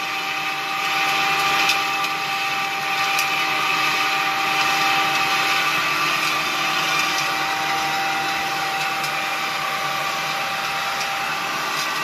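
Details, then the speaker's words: Homemade propane-tank ball mill, belt-driven on aligned wheels, marbles as media: constant motor and belt hum with busy rattle of marbles tumbling and sliding inside the drum; turning evenly. "So you can hear the marbles bouncing around in there and sliding."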